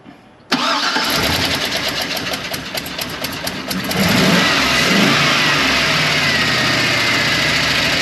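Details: GM aluminum-head engine started after broken intake manifold stud extraction and injector/fuel line reconnection: catches to a busy idle with slightly uneven beat and occasional stumble; it's missing a little.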